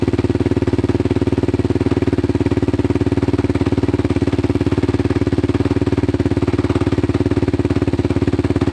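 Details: Yamaha Raptor 660 quad: fast, steady thumping at about three beats a second with a loose clatter on top, slightly smoky; suspected timing issue.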